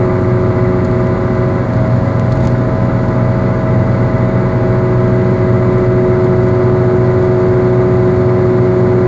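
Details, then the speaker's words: Worn wheel bearing heard while driving: a steady low hum and growl at constant droning pitch under road noise. As the wear progresses, the hum turns into a growl that intensifies with speed and bearing load, eventually almost louder than the engine. "lem progresses the humming gets ever more worse and at the final phase the sound is almost louder than the engine it goes from humming to a sort of growling which intensifies as you drive faster and there's more load on the bearing"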